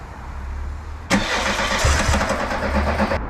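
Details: VW Mk2 Golf 16V at about 7–8 °C, won't start cold; starter whirs about two seconds with no catch, during fifth injector fuel check; cold no-start later traced to faulty coolant temperature sender.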